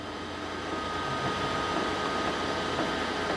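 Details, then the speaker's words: Anycubic Kobra S1 Combo 3D printer during first setup, before heating and filament feed: steady soft whir with faint high tone, even and unbroken, running its bed-level check; normal. "It's doing kind of a bed level check right"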